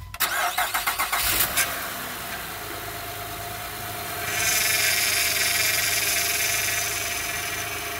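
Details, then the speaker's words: Honda Odyssey (2005–2010 type) started after alternator replacement: brief crank, engine catches, steady high whine over idle from air that got into the power steering. "all right you may have heard that wine at the very beginning that was the air that got in the power steering"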